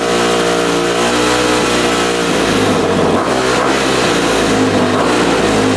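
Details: Rebuilt 2006 Honda CRF250R, apparently the first start since the rebuild after adjusting the throttle screw: clean, even running rising and falling smoothly with throttle, no misfire or stumble; healthy.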